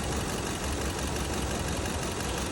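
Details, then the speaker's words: 2015 Kia Cerato idling roughly with a constant shake, an uneven, stumbling beat; scope shows one injector stuck open and not closing, causing the misfire; the injector was replaced. "هاي الاشاره تبع البخاخ وقفت عن الاشاره شوفوا هنا ما هذا البخاخ بيفتح ما بيسكر"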